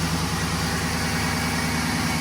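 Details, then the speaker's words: 2011 GMC Sierra, about 180–190,000 km, restarted after new NGK spark plugs and wires: uneven, lumpy, wavering idle; rough idle persists, owner suspects fuel system. "Try it again. Yeah, I think it's something to do with the fuel system."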